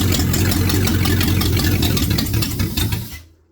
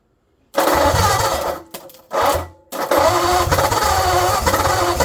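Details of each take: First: 1948 Ford Flathead on an engine stand after fitting a used condenser from another distributor: runs with an even, steady beat for about three seconds, then fades and stops as it runs out of fuel. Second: 1948 Ford Flathead on engine stand, carburetor leaking, choke half open: catches, stumbles and dies twice, then fires again and runs ragged and uneven.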